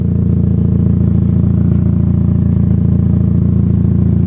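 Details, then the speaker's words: Chevrolet HHR that sat long with battery disconnected, at idle, heard from the rear: steady low puffing about three pulses a second, loud at the back, from a hole in the exhaust before the muffler. "Oh yeah, right there, YouTube, hole in the exhaust, before the muffler. Son of a diddly, there it is. That's why she's so loud."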